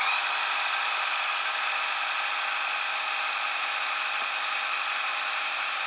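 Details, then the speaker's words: Panasonic SA-HT820V VHS VCR/DVD combo, fast-forwarding a tape to the end in about 50 seconds: a smooth, steady, high-pitched whir with no catches; the transport is working normally. "So since this is a very fast VCR, I can show you like all the fast forward and rewind cycle. Fast forward. Let it fast forward to the end."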